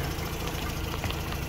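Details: 2006 Mazda RX-8 rotary with hot-start trouble, owner suspects low compression from failing apex seals, new starter fitted: warm lumpy, uneven idle during Picoscope coil tests; the coils all look similar, so any misfire is not ignition-caused.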